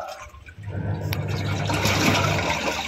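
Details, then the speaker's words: Single-tub washing machine test after replacing the failed button module with a universal module, pre-filled with water, wash mode: the motor hums steadily and water churns evenly. Normal wash agitation with no grinding or knocking. "Terlihat dan terdengar ya. sudah berfungsi. Dia bisa mencuci sekarang."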